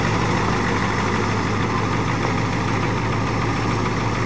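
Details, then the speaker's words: Ford F-250 diesel, not started for a year, bump-started with a Dodge, after a test drive: loud, even diesel clatter at a steady idle with no misses, knocks or speed changes; motor runs fine. "Power steering works good. The brakes work good. The motor runs fine. What's wrong with it?"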